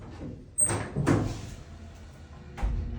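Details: Dover elevator motor running with a faint hum broken by three heavy thuds: intermittent knocking noise of unknown cause.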